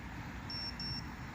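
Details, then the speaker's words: Go Go Bird Eagle RC toy bird with the battery fully charged, after a couple of crashes: two short high-pitched beeps and no motor spin-up, only faint hum, so the motor won't start; the second unit to fail the same way, cause unknown. "so you guys hear that it's not gonna start up anymore so a couple of crashes with this guy and this always happens"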